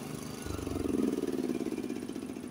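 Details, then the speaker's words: Honda HS80 snowblower with fast throttle set at 3000 rpm instead of the 3600 spec, in second gear: the engine note drops and labours as the auger bites heavier snow, throwing only 12–15 ft. Engine bogging under load. "so I hope you can hear that it was bogging down a little bit and then when it got to the BM it was bogging down a little bit more"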